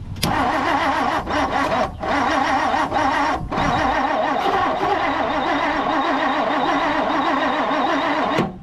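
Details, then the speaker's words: 1959 Plymouth Savoy with aftermarket carburetor, on a battery booster; steady cranking for several seconds without catching. Cause unclear; owner wonders if the starter is failing; it later fired with choke. "I don't know what's going on. It's also, maybe the starter's going out. I don't know."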